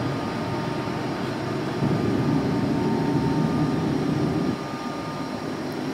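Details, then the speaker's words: Low-hours Boge 40 HP VFD air compressor: steady motor drone whose thin whine ramps down and quietens once pressure reaches around 105 and holds; normal VFD unloading. "you'll be able to hear the motor whine back down once it gets up to pressure where around 105"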